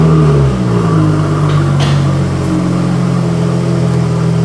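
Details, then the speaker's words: Used Jaguar F-Type with switchable sports exhaust: deep, even exhaust rumble that swells briefly then settles to a steady drone, no knocks or rattles; normal exhaust note. "You will notice that the sound is completely different to what you might expect. When people talk about F-Type, they speak very much about the sound."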